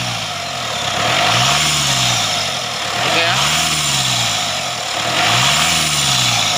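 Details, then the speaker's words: Mitsubishi Triton GLS 4D56 diesel after replacing the alternator, whose loose pulley caused a metallic whining, with a solid-pulley unit: revs rise and fall cleanly three times with only faint turbo hiss; noise gone, normal engine revving. "Oke. Suara bising itu sudah hilang. Suara bisingnya sudah hilang, ya."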